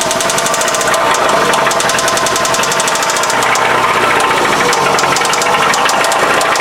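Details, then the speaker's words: Toyota engine with VVT-i, clanking for five years, metal filings found in oil pan, oil light had flickered at idle before new pickup tube, screen and VVT-i filter: loud, sharp, relentless metallic clanking at normal idle drowning the engine; severe internal knock, engine dead. "Oh man, that's not good. Yeah, that would be a death rattle right there."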